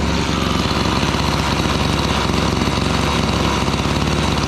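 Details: Gas-powered Razor dune buggy single-cylinder engine after repair and coil gap reset, usually about 3,900 rpm: runs fast and steady with crisp, even exhaust beat, no misses or knocks; healthy, muffler sounds good, running cooler.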